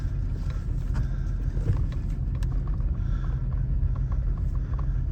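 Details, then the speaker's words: 2007 Nissan Xterra with P0300 check-engine light, plugs and all six coils already replaced elsewhere, possibly very low fuel: low, uneven idle that stumbles and shakes, a rough random misfire, cause unknown; rattle underneath also noted. "Does kind of feel like it's running pretty rough here. Yeah. It's a misfiring."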